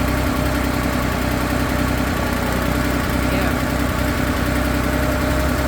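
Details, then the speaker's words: 1968 Porsche 911 L engine on the stand, cold, after rebuild with new tensioners and flywheel; busy idle with fine buzzing rattle from loose carburetor throttle shafts and plates vibrating; throttle shaft vibration noise. "so it needs STS the plates vibrating is what you're hearing yeah I can feel it and hear it"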